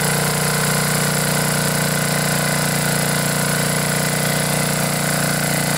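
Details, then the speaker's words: Briggs & Stratton 10 hp single-cylinder generator engine after blown head gasket repair, head bolts torqued to 165 in-lb, choke held open by finger: runs steadily at fast speed with even beat, no misses or knocks; normal running. "all right time to test this baby out I'm going to have to hold the choke open with my finger because I don't have that plate on"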